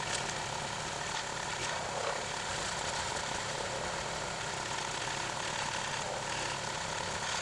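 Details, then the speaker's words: Clarke 20-ton log splitter after its original engine was replaced with a 5 hp engine, splitting bigger logs: a steady, even buzz with no misses, knocks or hunting. It runs smooth and healthy. "It's been working great so far. Been quite happy with the performance of it with this 5-horse engine on here. Seems to be running pretty well now."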